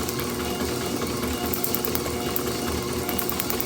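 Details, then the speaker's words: Overhauled IHC H4 magneto from a Farmall MD, meant for a TD-6 crawler, after about 5 minutes running during a kill-switch ground test; crisp spark snaps over a steady motor drone with not one missed tick: healthy, very hot magneto firing. "Jeez, that is a hot magneto. Look at that. I am so happy. As I've been sitting here, it's been running for about 5 minutes. My camera's been running and I have not heard it miss a single tick."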